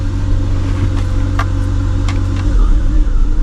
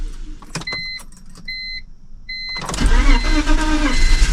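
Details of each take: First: Cheap BMW project car after repairs, secondary air hose issue still suspected: steady low idle with a smooth, even hum and no misses or knocks. It runs much better. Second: Cheap BMW project car that used to run when parked: chime beeps, then two long stretches of steady starter cranking that almost catches but never runs, fuel smell developing; extended cranking, no start.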